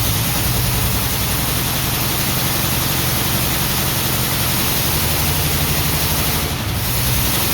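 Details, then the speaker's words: 1949 Ford F1 old six, rebuilt engine sat 20 years, running briefly with choke partly out, electric fuel pump on, no working water pump: rough, uneven idle, lumpy beat where a cylinder drops out; cylinder misfire. "It's definitely missing on one cylinder, but this is good."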